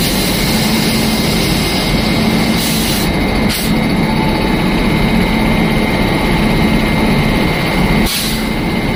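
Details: Engine running at a steady hum with a thin constant whine on top that doesn't change pitch; the noise is said to come from a motor in the engine bay.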